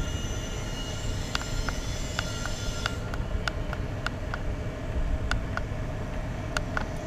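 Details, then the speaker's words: 2 kW Chinese diesel air heater running at 1.6 Hz pump rate, about 80 degree temperature rise; steady low burner roar with light even fuel-pump ticks; normal running. "running this at 1.6 hurts everything's looking good have an increase in temperature of about some 80 degrees all running the same as before"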